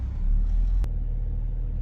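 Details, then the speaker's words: BMW X5 E70 with drivetrain malfunction warning: deep, uneven idle that sags with the tachometer dropping, nearly stalling. Codes point to the VANOS intake, and faulty VANOS solenoids are the cause. "see it was about to turn off look see it's almost about to turn off"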